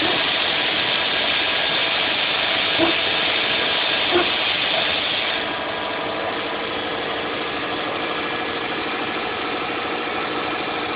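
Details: 2006 Saab 9-2X Aero, cold start first thing in the morning, no air conditioning on; even petrol idle with a quick steady patter that settles slightly lower after a few seconds, a normal cold idle with no fault.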